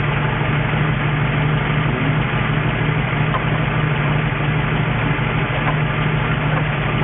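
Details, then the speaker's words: 1963 Ford F350 engine with Cherry Bomb muffler, first run in 20 years after clearing fuel-line air bubble: steady even idle, low throaty exhaust note, no knocks or misses; running smoothly. "Runs smooth. It's got a cherry bomb on it."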